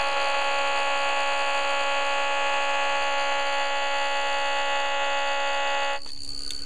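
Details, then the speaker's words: Homemade pulse motor rotor with a reed switch and a coil wound on a sewing bobbin: a steady, unwavering high whine holding one pitch until it cuts off; the rotor runs very steadily and smoothly. "you can see how very very steady that is I don't know if you can hear it without the radio but it's just whining"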